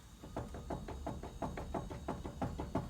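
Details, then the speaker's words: 1999–2007 GMC Sierra/Chevy Silverado 1500 4x4, front wheel rocked by hand top-bottom and side to side: dull clunk about three times a second from play; ball joints and tie rod ends checked good; worn front hub bearing. "you probably can't see that very well but you can hear it there's definitely some play and then you can go side to side as well"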